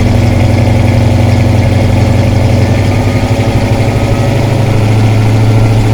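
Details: 1972 Plymouth Satellite 318 V8 with new flat-tappet cam and zinc additive, warmed to temperature with coolant flowing: deep even burble, smooth steady pulse, slight rise near end, no ticking or knocking; normal healthy idle.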